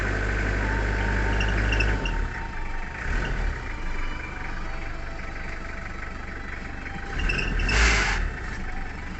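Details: Toyota Hilux with a flat battery, jump-started: the engine catches after a brief crank and settles into a steady, even idle with no misses or knocks.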